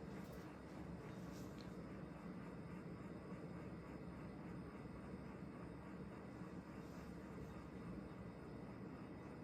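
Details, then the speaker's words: Vintage 1980s CEC Newport 42-inch ceiling fan running on low; it tends to stall. A deep hum drones every few seconds and sometimes stops when the fan is touched. The cause is unknown, and the hum returns with the lights on. "it's making like a very deep hum every x amount of seconds it's pretty sometimes if you touch it it stops I don't know what it is"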